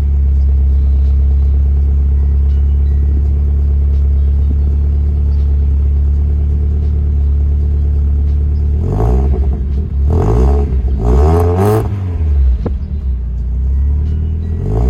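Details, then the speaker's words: Mazda Miata with a newly fitted exhaust line, restarted with only light throttle: deep steady idle rumble with a few clean blips rising and falling smoothly, no rattle or buzz; exhaust sounds healthy and the owner is satisfied. "Non, ça va, franchement, je suis assez satisfait de ce petit pot."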